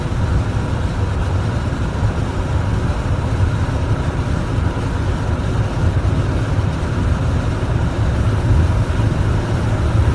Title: 83 307 rough idle